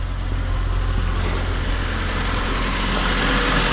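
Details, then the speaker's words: 2002 Mitsubishi Lancer OZ Rally after valve cover gasket replacement, cold idle easing down slowly: quiet, even low hum with no misses or knocks; runs smooth, normal idle. "So there it is. She's super quiet, runs smooth. Oh man, it's just so nice to hear it run like this."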